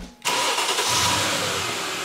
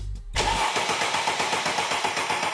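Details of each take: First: Mercedes-Benz with starter powered directly: engine catches at once and settles into steady even idle, fuel pressure building to about 57–60 psi; starter, fuel pump and relay working. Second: Mercedes-Benz that won't start; starter confirmed fine, key in position 2, 12.3 V power probe feeding relay circuit 87: steady starter churning, about four beats a second for four seconds, with no catch or fire. Cranks but won't start.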